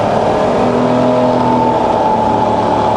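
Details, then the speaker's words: Fully rebuilt Bridgeport variable-speed milling machine head and quill: smooth quiet hum at around 1,000 RPM rising evenly to 2,400 and back to 500, also quiet in reverse; no grinding or rattles, spindle healthy. "That's running around 1,000 RPM at the moment, so it's really nice and quiet."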